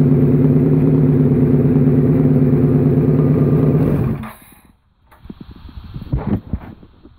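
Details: Suzuki SV650 V-twin self-built project starting after rebuild: strong, even exhaust beat holding steady, then cut off and winding down with a few clatters; normal, healthy revving.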